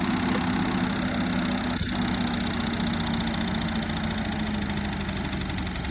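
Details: Holden VK Berlina's engine, claimed by the previous owner to be a 186 bored to 192 (doubted), run. Rough idle with an uneven knock about three per second under the running note; internal knock, cause unconfirmed.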